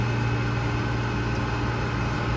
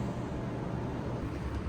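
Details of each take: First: Old commercial Trane water-source heat pump on a cooling call: compressor starts with a steady even hum once a stuck-open safety switch at the evaporator pan is pushed down; switch and clogged drain line need cleaning. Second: Old commercial Trane water-source heat pump on cooling call: only steady fan whoosh, no compressor hum or start-up thump; compressor not starting, traced to open condensate float switch in evaporator pan safety circuit.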